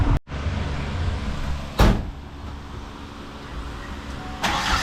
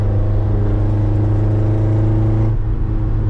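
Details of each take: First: Ford Ranger after welding in a cherry bomb muffler and piecing the exhaust back together; cranks into a lumpy idle with a thin airy whistle over the exhaust note, exhaust leak. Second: Ford Ranger under way, recorded in the cab with windows open, after a cherry bomb muffler was welded into the pieced-back-together exhaust: deep, steady low drone with no rasp, blat or leak ticking, much quieter; normal exhaust note.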